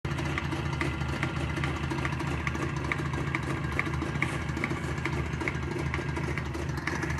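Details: ČZ 472.6 two-stroke engine, rebored +0.11 mm, crankshaft perfect: sharp regular knock about twice a second over steady idle, cold and hot, in neutral and in gear; owner suspects gearbox, disassembly found no fault.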